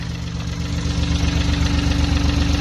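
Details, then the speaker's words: Cold start idle of BMW i8 three-cylinder mid-engine (auction car, coolant problems, dealer proposed engine replacement): steady low idle, even pulse, faint light tapping on top, no exhaust smoke; sounds normal for the three-cylinder. "no smoke coming out of the exhaust just good sign [Music] a little tappy i got gotta tell you i don't know if that's normal for a three cylinder or not"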